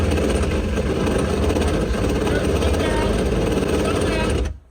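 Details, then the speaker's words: 2007 Yamaha AR210 wakeboat, the worse of its two engines; uneven, lumpy, off-beat low rumble, then cuts out; cause not yet diagnosed, rebuild or replacement being weighed: rough-running engine. "It does have 2 motors. One of them sounds good, but the one that's giving us issues sounded pretty bad."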